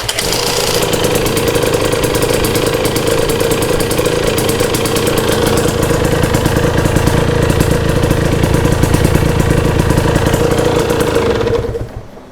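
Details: 2022 Husqvarna TE250i two-stroke, 157 hours, last heat cycle after top end rebuild: crackles into a steady, crisp idle with even pulses, no rattles or misfires, then cuts off cleanly.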